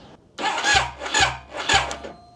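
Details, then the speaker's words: Project Triumph Daytona 955i bought as a non-runner, crank attempt: three short, labored starter bursts that drag and stop. Still slow after battery work, and it cranked much better once the starter was wired directly to the battery, pointing to cable resistance. "Okay, better. Still not great. Could also just be too much resistance in the cable."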